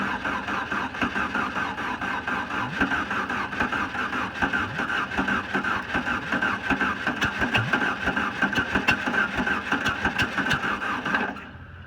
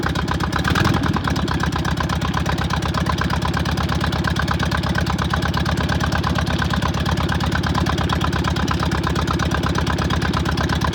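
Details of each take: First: VW Bug with a newly installed starter and gas poured into the carburetor; steady cranking at about three turns a second with no firing, because slightly late ignition timing keeps it from catching. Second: VW Beetle fed from a fuel bottle to the pump, after slightly off ignition timing was corrected: it catches after a brief crank and settles into a steady, even idle with no stumble; running properly.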